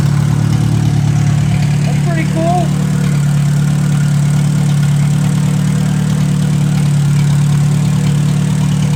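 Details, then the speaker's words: 1957 Hercules 4-cylinder engine with magneto, revived after sitting, not yet hot, steaming from the radiator without a cap, 20 lb oil pressure; deep steady hum with an even idle beat, no knocks or rattles; runs well. "so oh pretty excited it ran really well so uh not really hot yet"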